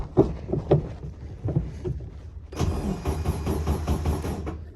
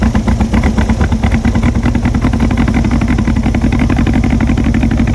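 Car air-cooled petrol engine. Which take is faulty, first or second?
second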